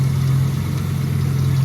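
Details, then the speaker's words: 1966 Chevrolet Bel Air after water pump replacement, idling cold before the thermostat opens: loud steady low drone up front, no valve-train tick. Stethoscope ruled out valve train; timing chain new; fan suspected bent and slapping, belt to be pulled. "Maybe I tweaked it when I took it off and now it's like slapping around or something. I don't know, something's definitely not right. That's loud."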